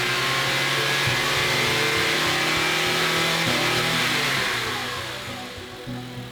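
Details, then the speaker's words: Rebuilt crashed 2010 Honda Accord (timing redone) on first run-up after idling: clean rev blips that settle back smoothly, no knocks; the loud idle ticking was judged to be the injectors, not the lifters. "We let the car idle for a little bit while trying to check everything, making sure that nothing was leaking or sounding off. Then we gave it some revs to test it."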